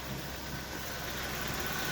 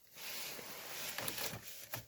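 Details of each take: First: VW Tiguan 1.4 TSI cold idle after new firmware disabled catalyst fast warm-up, fixing the cold-start misfire: quiet, even hum with no shake, stumble or skipped beats. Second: VW Tiguan 1.4 TSI cold start, first minute during catalyst warm-up: engine catches and idles unevenly and shakily, misfires logged in cylinders 1 and 2; normalizes after warm-up, blamed on software catalyst-heating algorithm.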